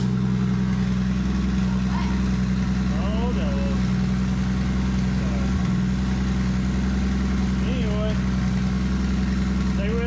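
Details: Toyota Supra just fitted with a new VSS Racing turbo, first run before exhaust is welded up, checking oiling and spinning: steady, even idle with smooth low drone, no knocks, whistles or misses; running healthy.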